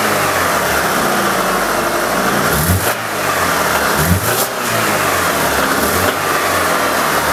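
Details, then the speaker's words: Alfa Romeo 166 2.0 TS engine blipped through the revs with a dull rapid knock following engine speed; after sump removal diagnosis one shaft fault found but knock is certainly from the engine, teardown needed, cause unconfirmed. "был там один косяк на валу но звук идёт с мотора это 100% так что дальше нас ждёт вскрытие"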